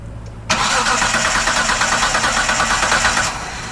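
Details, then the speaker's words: 1998 Mitsubishi 3000GT base SOHC 3.0 V6 sitting 12 years: starter grinds it over evenly for about three seconds without catching. Crank, no start; no spark seen at the distributor test, and the coil is suspected. "Okay, we don't have any sparks still."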